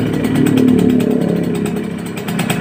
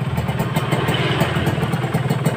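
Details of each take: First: Kawasaki Ninja RR two-stroke after a cylinder rebore, sluggish and overheating with a radiator suspected clogged or empty: a fast, buzzy, uneven and harsh engine beat. Rough running from a scored cylinder bore. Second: Kawasaki Ninja RR two-stroke after engine rebuild and clearing blocked cooling passages, previously rough and sluggish: crisp, even idle with a steady beat and no rattle or knock underneath.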